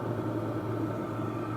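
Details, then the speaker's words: Hcalory Tool Box diesel heater running well before shutdown; low, steady hum with soft constant rumble, no surging or clatter, burning evenly. "And there you have it. That thing is running"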